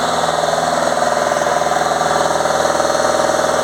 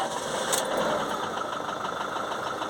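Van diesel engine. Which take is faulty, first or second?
second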